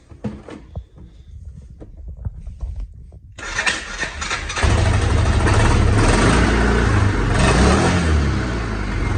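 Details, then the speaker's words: Fuel-injected Hisun 550 UTV that lost power and wouldn't idle after 2.5 years. It has trouble starting, then runs loud but lumpy and uneven, backfiring and dying on throttle; owner suspects a clogged fuel injector. "see i was giving it gas and it died yeah this it does not want to run it's backfiring i've seen where the injectors clog up and stuff like that"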